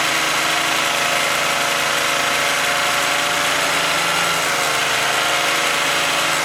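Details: Toyota Aurion with oil light on and clean oil, muck seen in the oil filler hole, at idle after start-up: loud high-pitched whirring/buzzing from the engine; engine needs a rebuild.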